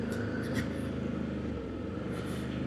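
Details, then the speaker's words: ODES Pathcross 650 ATV after fixing jerking/RPM lag when pulling away from a stop, test ride through woods: even engine drone holds steady with no stumbling or surging; problem solved, pulls smoothly. "пробаме ох како вози сега интересно, сè е решен проблемот момци"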